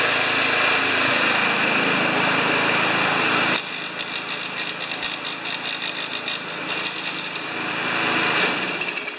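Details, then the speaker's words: Murray mower with Briggs & Stratton engine: steady, even pulsing run without misses or knocks; running like a champ apart from a slight handle vibration of unknown source, though the carburetor is later found faulty. "Anyway, it's running like a champ. I got a handle vibration. I don't know where."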